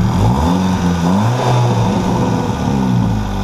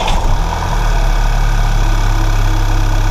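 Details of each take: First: VW GTI Stage 2 with aftermarket downpipe: raspy, blatting revs like a lawnmower from a massive exhaust leak as the supplied downpipe gasket failed totally after a week; to be replaced with an OEM gasket. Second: VW GTI, Stage 2 with aftermarket downpipe, after replacing a failed, broken downpipe gasket with a factory gasket: smooth, deep, even exhaust idle with no ticking or puffing; leak fixed.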